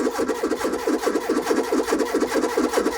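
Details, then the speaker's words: Renault 21 1.7, cranking after a new fuel pump was fitted with the float bowls empty: the starter turns slowly and unevenly at a little over one beat per second, sounding low; battery charge is uncertain and the slow cranking is suspected, not confirmed. "Sounding a bit low. So it does take a while of cranking to get all the fuel float bowls filled."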